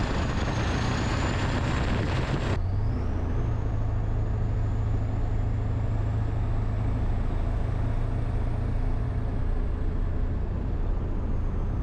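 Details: Ford 7.3 PowerStroke diesel, first start after new KC turbo, downpipe only, Full Force up pipes, Irate plenums, oil crossover kit and fuel bowl reseal: deep even idle with steady turbo whistle, no knocks; much stronger, idle changed, owner guesses the crossover tube; normal.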